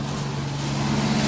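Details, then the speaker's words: 1992 Jeep Cherokee XJ, no catalytic converter, cold start after sitting about three weeks: steady, even idle sitting high around 1,500 rpm with no misses or knocks; owner unsure if this is normal when cold. High cold idle. "she was only pretty high yeah 1,500 I don't know if it just normally does Matt when it's cold has been stirred in like three weeks"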